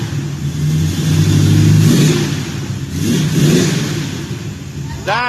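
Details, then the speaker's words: 1967 Camaro V8 just after an MSD ignition install, checked with a timing light: a deep rumble climbing smoothly through repeated blips and settling back cleanly with no misses. The timing is possibly a little advanced. "look how beautiful it runs bam yeah it sounds like the timing is maybe a little bit Advanced when you started it"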